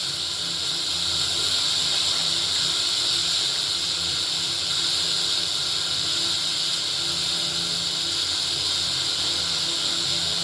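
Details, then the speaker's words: Old Philips RR286 radio cassette recorder under repair, antenna extended, indoors: steady even hiss with no voice or music; FM static between stations, not yet properly tuned. "इसको properly tune नहीं करोगे ना तो यह नहीं आएगा signal."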